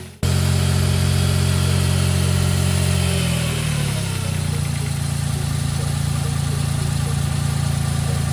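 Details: Smart Roadster 452 engine after freeing a seized alternator that had caused delayed starts: catches and settles from higher speed into steady, even idle with regular low beat, no knocks or grinding; normal idle.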